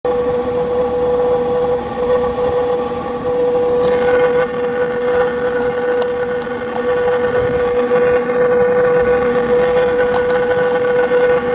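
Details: 2000 Porsche Boxster S with a steady high whirring whine from the front area, holding one pitch over the car's running noise.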